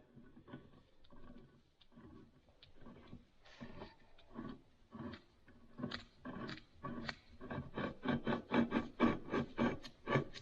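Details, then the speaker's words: Kubota BX23S snowblower driveline on the bench, shaft turned by hand: rough, gritty grinding about twice a second, shaft binding to a stop; a pillow block bearing has failed with its seal gone, to be replaced. "very grindy it actually comes to a stop yeah that's the problem it's one of those two bearings"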